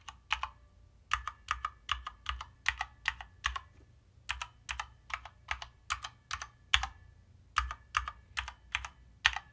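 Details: Corsair K65 Mini 60% mechanical keyboard typing test: irregular clicks with a hollow, slightly pingy ring on strokes despite good-sounding stabilizers and spacebar; hollow sound and pinging known with this case.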